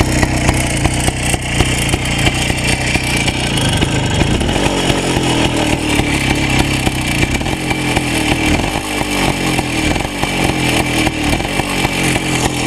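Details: Minsk M105 two-stroke motorcycle after a major overhaul with a new piston set: crisp, even buzz that picks up cleanly on the throttle and settles back without misfires or rattles; healthy running.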